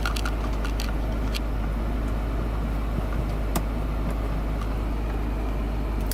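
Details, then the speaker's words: BMW E30 320i convertible, M20 engine, timing belt unchecked, after first start at pickup: low steady idle rumble with a few light clicks, no misfire or knock; healthy idle. "Like a charm. Starts like a charm."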